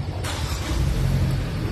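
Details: 2014 Hyundai Tucson manual that would not start: a nut was added as a stopper on the clutch pedal so it presses the clutch safety switch. Cranked with clutch in, it catches quickly and settles into a steady, deep, even rumble; a clean, healthy start.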